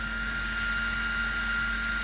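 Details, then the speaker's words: Zealandia Systems Proteus P3 laser setup, high-pressure air assist through a flow rig set just under the point where its tone audibly changes; steady strong rush of air with a faint constant whistle, no flutter. Normal air assist flow. "and you hear how that changes tone so I just go just under that noise there's quite a lot of air coming out of that"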